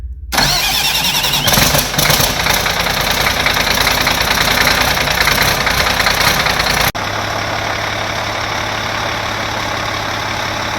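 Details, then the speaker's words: Cat 3306 diesel power pack with a new leakproof Delco Remy 39MT starter replacing the 50MT, no glow plug power, cranked by touching the wire: it cranks hard about six seconds, then catches into a steady idle. A healthy start. "so let's see if it'll pop off we don't have glow plug power so we may have to use some ether"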